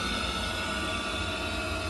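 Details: Ideal Logic condensing combi boiler fan running normally while PWM signal is measured on black/yellow, expected 0.5–1.8 V DC: steady even whoosh with a faint constant hum, no rubbing or rattle.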